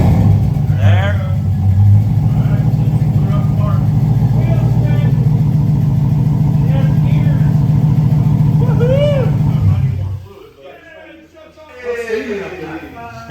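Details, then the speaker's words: LS V8 swapped into a Volvo, stock pump, new homemade recycled exhaust, freshly started: deep, even V8 rumble with smooth revs and steady firing, no misses or knocks; engine runs healthy and now a lot better. "i mean it started really good you don't know what it was before it could have been 15. true runs yeah now it's a lot better"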